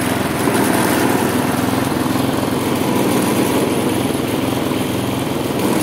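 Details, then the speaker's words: Husqvarna J55S mower with B&S 650 engine, throttle tied fixed after it finally started puffing black smoke: speed keeps rising and falling in an odd uneven cycle, jerking the handles; engine surging. "tak jak widzicie kosiarka pracuje bardzo niestabilnie bardzo nią szarpie było widać to też na rączkach pracuje w takim swoim dziwnym cyklu"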